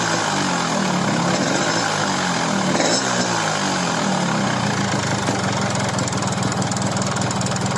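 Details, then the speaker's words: Yamaha RX King two-stroke block after oversize rebore with new piston, pin, bearing and rings: steady idle with harsh rattly ticking over exhaust note instead of smooth; piston slap from poorly bored cylinder. "semestinya suaranya halus tetapi disini malah kasar lebih kurang suaranya seperti ini ya"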